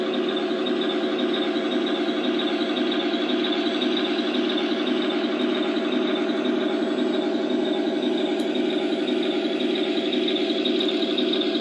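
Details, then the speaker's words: 1/16 Tamiya Tiger 1 RC tank fitted with Heng Long sealed all-metal, ball-bearing gearboxes: steady quiet gear whir at a constant crawl, slight whine but no rattle or clatter; gearboxes running smoothly. "you see they have a lot of quite quiet though like you can hear a little line out of them but it's not that racky gear noise they used to get out of uh not only the older tamiya gearboxes but like any of the hens long gearboxes also"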